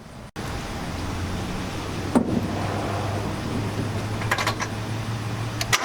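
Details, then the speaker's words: Turbo Mazda Miata after installing a budget high-flow fuel pump: brief crank of one or two turns, catches at once and settles into smooth, steady low hum with no stumbling. "once I cranked it started right up so maybe one or two turns before it started running as smooth as can be"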